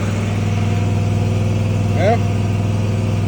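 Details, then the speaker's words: Mower started after sitting a month, with choke up and throttle at halfway: steady low drone at constant speed, no stumbling or misfire; running normally. "that was pretty good for setting for a month not going to complain about that"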